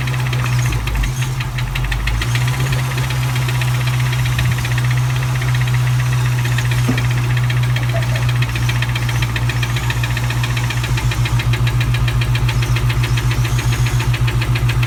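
A V8 idles with a steady, fairly quick knocking tick, about three to four a second, riding over the exhaust. Cause suspected, not confirmed.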